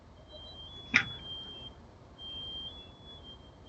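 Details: House carbon monoxide detector alarming, thin high-pitched electronic tone in short bursts in a quiet room; owner first suspected a battery needing replacement, but fire crew confirmed CO at 50 ppm in four bedrooms.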